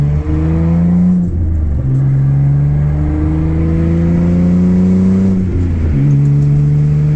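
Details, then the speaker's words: Exhaust leak on a Mitsubishi Eclipse: the flex pipe has multiple finger-sized holes, giving a loud raspy rumble that swells with each rev and drops between blips; the idle is also odd, cause not yet found. "own there where the flex pipe is it's all there's multiple holes where you can stick your finger through it so that's why it sounds like it does"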